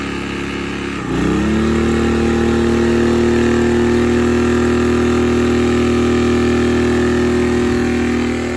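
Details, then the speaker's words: Sportsman 1000 W max / 800 W running inverter generator in economy mode powering a space heater on low: engine jumps from low idle to a hard, steady high drone as the heater kicks on; overload light shows but it handles the load. "as you guys saw there we got a little bit of an overload light but it was able to handle the load"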